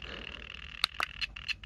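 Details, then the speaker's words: New TPMS sensor out of the tire, triggered with a TPMS learning tool, heard through a Flipper Zero at 315 MHz with sound on: sharp high chirps about four a second over faint hiss; sensor transmitting normally. "all right and you can hear and see data from the sensor now as you can see the that is the sensor making that sound because this thing is done transmitting"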